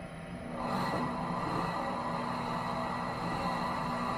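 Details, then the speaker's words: Mill City 500 gram coffee roaster (North TJ066) after new front bearing installed: drum turns with smooth even hum, steady low tone, no squeak or scrape, so the back bearing needn't be changed yet; normal drum rotation. "Roaster isn't squeaking, and that means that I don't have to change out the back bearing right now."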